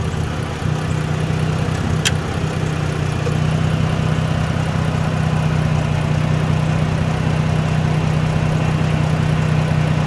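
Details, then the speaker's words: Dodge Journey alternator test, negative cable reconnected: idle completely smooth and no longer going up and down, voltage up to 14 from 13; low even hum at one steady pitch, normal idle. "look at that when i put it back completely smooth running idle's not going up and down it's just running normal"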